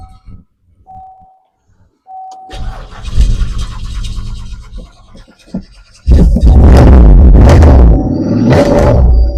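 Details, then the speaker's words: 2008 Buick LaCrosse Super with LS4 5.3 V8, parked since 2017, with ethanol-smelling fuel: the engine cranks, catches easily, then settles into a loud, slightly uneven, lumpy idle, running a little rough after sitting. "that was easy hitting a little rough though"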